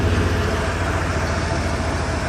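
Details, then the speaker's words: 1988 Ford F250 5.8 L 351 V8 after fuel injector replacement, sat two years: steady, even idle with faint low pulse, no stumbles or skips, all cylinders firing; normal idle. "it's probably 95% better I'm happy with that we'll send her on the road get her tags and DQ slit should pass just fine now that all the cylinders are idling as they should"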